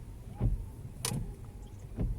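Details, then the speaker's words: Lada Vesta windshield wipers after realigning the squeaky blade flat on the glass and spraying with water-repellent: soft thump at each end of sweep, no squeal or chatter, normal quiet operation. "ну так же из влагой все нормально работает"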